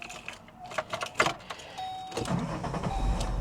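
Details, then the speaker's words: 1999 VW EuroVan VR6 on a booster pack with fresh fuel added: brief crank and catch, it runs a second or two then dies, same as before when it would not restart; owner suspects a fuel problem. "oh it does run oh no dead dead dead dead great well before it would not restart at all just like that yep just like that exactly like that"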